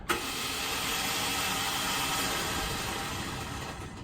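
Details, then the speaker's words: Just after reassembly, the flood-salvage engine cranked and built compression, then the starter failed: with the key held it gives a harsh, steady grinding rasp and the engine never turns over. Blown starter, to be removed. "Like, I'll put the key in here for you, and I'll crank it over, and you can hear it's just grinding."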